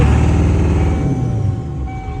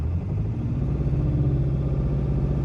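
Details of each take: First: 1997 Ford F350 7.3L Power Stroke turbo diesel after sitting over winter, at 1500 rpm: heavy, lumpy rumble with uneven beats, shaking hard and skipping; misfire, IDM suspected, injectors passed buzz test. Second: 1997 Ford F350 7.3L Power Stroke turbo diesel after parts replaced for a skip/misfire that caused heavy shaking: deep, even rumble with steady beat and no stumble or shake; now running smoothly.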